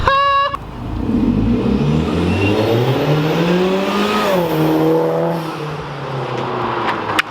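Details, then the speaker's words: Hyundai Genesis with new ARK Performance front pipe, full-throttle acceleration heard from inside: deep throaty exhaust climbs smoothly through the revs then eases off, no rattles or misses; sounds pretty good, slightly deeper and louder than before, healthy. "I think it sounds pretty good I don't I'm inside so it's kind of hard for me to say"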